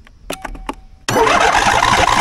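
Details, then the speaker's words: Lawnmower with a battery at about four volts, jump-started using a badly damaged Andeman E-P155 jump starter: a few starter clicks, then the engine catches instantly and settles into a steady, even running roar. Healthy start. "holy that's impressive that's really impressive so I guess the controller in here still has this sensing function"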